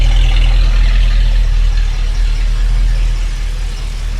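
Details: 1965 Ford Mustang V8 after carburetor passages were blown out and cleaned (was idling on few cylinders, shaking); recorded at tailpipe: deep, even burble about four pulses a second, no misses, now a healthy normal idle.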